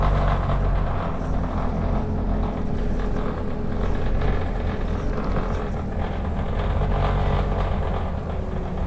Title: 2510 making a weird noise